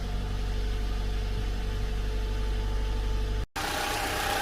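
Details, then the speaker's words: 2012 Toyota Camry 2AR-FE engine after repair of engine noise, cold start after two days, oil light off after half a second: even settled cold idle, steady low drone, no knocking or ticking; normal sound. "this is the sound after it was repaired and this is pretty much the normal sound for the camry engine"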